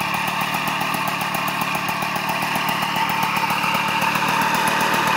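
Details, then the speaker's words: 1989 Magnum Racing Ceramic White moped with a two-stroke engine: a rapid, steady metallic rattle of nearly four beats a second over a buzzy idle; the crankshaft bearings are worn and very noisy, and the engine needs real work. "bon c'est un peu le bordel avec ces roul mais c'est très bruillant ça fait bien quand ça s'arrête la mécanique là il y a vraiment du boulot"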